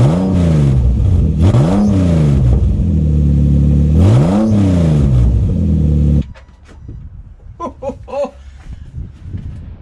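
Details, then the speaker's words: Engine started with the exhaust removed, before fitting a new mid pipe (old one had a blow): very loud, raw, deep bark rising and falling with each throttle blip, then cut off; open engine, no exhaust. "Yep, we weren't wrong. That was loud. A lot louder than I thought. That's crazy. Even though there was a blow on the old mid pipe, that was way louder than I thought."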